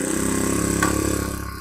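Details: Honda GX25 four-stroke pump engine brought in with a starting problem from low compression: after home fix, buzzes at a fast even beat of about 35 firings a second with no misses, running clean and steady.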